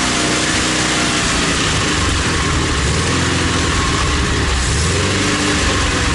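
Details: ZAZ 968M after standing, fuel pump repaired and carburetor adjusted: engine runs steadily at a fast, even idle with no knocks or misses under heavy outdoor noise. Normal running.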